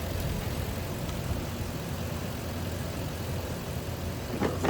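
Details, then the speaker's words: 2004 Lexus GX470 after fixing a high-pitched squeal, blamed on a weak serpentine belt tensioner: quiet, steady low idle, no squeal or chirp from the belt, engine smooth and even. "No noise. Nice. It looks like it's running smooth."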